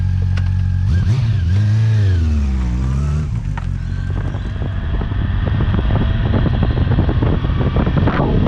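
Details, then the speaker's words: 2009 Honda CB400 V-Tec 400cc four-cylinder, about 50 hp, sat for years, fuel pump replaced; next-day warm-up before a ride; revs swing up and down briefly, then settle into a steady, even idle; healthy. "but i'm just excited to ride this thing so let's get it out let's get it warmed up"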